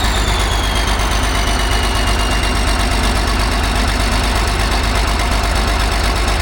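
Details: Rusty Fiat-Allis (Allis-Chalmers) 645B loader's diesel fired up after sitting: steady, even low thrum at idle with regular firing pulses and no missed beats. All cylinders firing, healthy idle.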